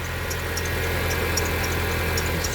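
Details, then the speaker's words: 2011 Jeep Compass 2.4L idling after a shop's belt repair: still sharp, high ticking about three times a second from a wobbling worn idler pulley. The idler pulleys and belt tensioner are to be replaced. "here's what the car sounds like after Lamb's autom to fixed the problem this thing is still ticking so bad you know I mean how can you say you fixed anything when"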